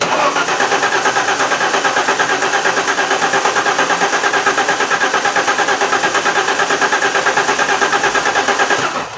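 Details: Alfa Romeo 164 2.0 V6 turbo with a crank-no-start: steady starter cranking for about nine seconds with no firing. Fuel pressure and spark were being monitored, and several spark plugs were then found loose and wet with fuel. Detonation sensors were also under suspicion.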